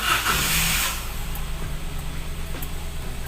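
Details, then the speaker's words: Toyota Agya/Daihatsu Ayla 1.0 three-cylinder, first start after ECU reset following high-idle repair (suspects ISC, TPS or fuel): fires, flares briefly, then settles to a low steady idle without hunting or climbing. "tinggal tes rpm nya mudah-mudahan sudah kembali normal dan tidak naik atau ngegerung lagi"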